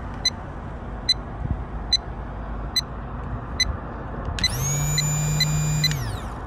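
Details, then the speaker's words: Fuel pump bench-tested connected directly to a battery: even ticks, then a smooth high whir at one steady pitch for about a second and a half; it spins and pumps normally. "it spins it shoots everything is fine now"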